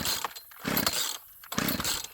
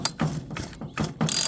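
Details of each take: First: Chainsaw that sat unused for years: repeated pull-cord rasps about once a second with no firing between pulls; cranks but won't start, cause not yet found. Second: 42cc homeowner chainsaw, possibly a rebadged Poulan, that won't start after sitting for years: slow cord pull gives a few even solid compression thumps; adequate normal compression.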